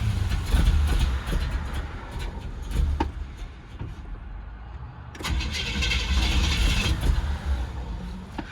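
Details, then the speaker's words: 1968 Cadillac DeVille right after oil change, first cold start of the day with an aftermarket choke: long uneven cranking without catching, then fires into a rough idle that smooths when warm; throttle sticking, carb needs adjustment; hard starting. "it probably won't start for a second but maybe it will uh pull up on this shitty choke job that someone installed not me see what she does"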